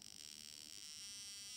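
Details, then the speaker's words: VW Beetle (Fusca) misfiring in second gear at low rpm: steady high-pitched electric buzz with rapid fizzing as one spark plug leaks current and sparks at its insulator base as well as the gap, worsening as it increases; arcing. "Na parte de baixo, começa uma fuga de corrente. E conforme vai aumentando, vai ficando pior."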